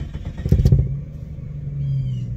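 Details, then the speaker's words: 1993 Jeep Cherokee after new fuel pump, tank and filter, heard from inside at roadside: a few clattering bursts while cranking, then catches into steady low idle; fuel pump now quiet, an unidentified rattle underneath remains. "fired up put it in gear and let's go everything seems to sound pretty good except for that rattle underneath got to figure out what that is but the fuel pump is nice and quiet"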